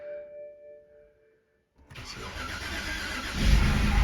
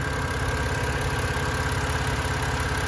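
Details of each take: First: 2011 BMW 328i xDrive with a replacement N51 engine from a 2013 328i xDrive, first start after the swap, no front tires, spray on the exhaust manifold: starter whir, then a lumpy, surging idle; cause of the rough running not yet known. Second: 2011 BMW 328i xDrive with a replacement N51 engine from a 2013 328i xDrive, after reseating a loose cam sensor connector: an even, steady idle with a soft regular pulse and no knocks or misses; it runs smoothly.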